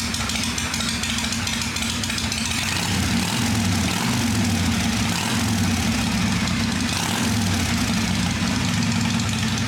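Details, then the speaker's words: Motorcycle cleaned and tuned up, started for the season after sitting over winter with drained fuel: steady, even idle with a low constant thrum and no knocks or misses; runs quiet, normal idle. "So, but she's quiet. She sounds good."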